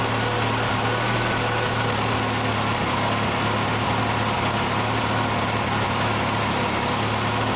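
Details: 1968 Datsun 520 engine after rebuild, first runs: steady, even low hum with no knocks, misses or surging; idles smoothly and quietly like a sewing machine. Owner suspects a cracked block along the freeze plug.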